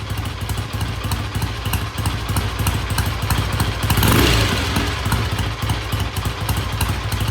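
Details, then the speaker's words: Vintage British motorcycle after repair: even steady thumping idle about three beats a second, no knocks or misses; starts and idles well, pending test ride. "all right black sounds good starts good idle's good I'm going to call it good pending a um test ride"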